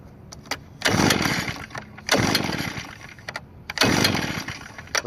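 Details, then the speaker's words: New Echo leaf blower on Stihl synthetic two-stroke mix, choke set and stiff, being pull-started: three sharp pull-cord rips about 1.5 s apart, never catches, because the on switch had been bumped off. "let's make sure the on switch is on. Yeah, I believe it was off. It got bumped off."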